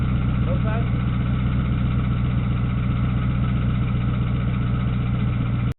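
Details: 1998 Ford Mustang GT V8 after PI heads swap with ported and polished heads: steady, even burble at idle with a regular beat, no knocks or misses; healthy normal idle.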